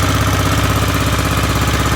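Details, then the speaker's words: Aprilia Pegaso with cleaned carbs and new carb inlet rubbers, warm and getting hot, idling with a steady, even thump and no knocks or ticks; runs cleanly and healthy. "it sounds pretty good sounds like it runs as it should I'm quite happy with that"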